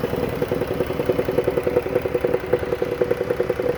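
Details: 2014 Dodge Caravan at warm idle: a tinny clatter about three to four times a second over the engine, most pronounced at idle once warmed up. A dealer diagnosis confirmed a flexplate badly cracked around the center.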